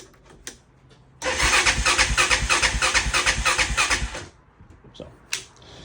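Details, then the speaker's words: 1999 Honda Foreman 450S ATV, fuel on reserve and smelling stale, new aftermarket carburetor fitted: steady starter churning at about three beats a second that never catches. Cranks but won't start; no spark, no fuel or low compression suspected. "There is fuel in it, but it doesn't smell the best. This one we're probably going to start draining that soon, BUT it'll just crank forever."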